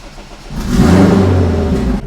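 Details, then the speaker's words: Fully warmed-up engine with its tuner's rotational idle function just switched off. It catches with a quick flare of revs, then drops back to a smooth, quiet, even idle with no lope: normal start and idle. "but for now she's going off now it should idle like a normal"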